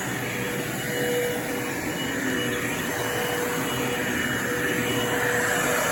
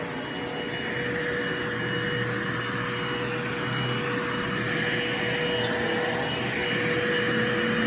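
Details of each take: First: Bissell Lift-Off Revolution Turbo Select 3760-T bagless upright vacuum (made October 2005), running with brush-roll motor on when reclined: steady motor roar, rushing air hiss and faint whistle; indicator half red before hose blocked, owner suspects a clog somewhere. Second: Bissell Lift-Off Revolution Turbo 3760-T bagless upright vacuum, made October 2005, brush roll motor switching with recline: smooth constant motor hum, steady mid-pitched whine, no rattles or surging; normal operation.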